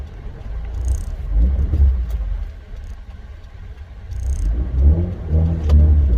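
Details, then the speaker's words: Mazda RX-8 rotary on the move after new Versatune Lite tune, warm around 78–80 degrees, aircon off, solenoids not yet done: deep drone rising and falling with throttle, sharp crackles on lift-off; pops more, throttle feels different. "Sounds a bit different, pops a bit more, eh? Throttle feels a little bit different as well."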